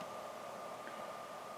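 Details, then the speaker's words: Computer power supply converted for a model railroad layout (+5V/+12V rails), switched on with no load: its small fan kicks on and runs as a steady, even airy whoosh with a faint hum, no rattle; normal. "h here on the side, you just turn it on, the fan kicks on."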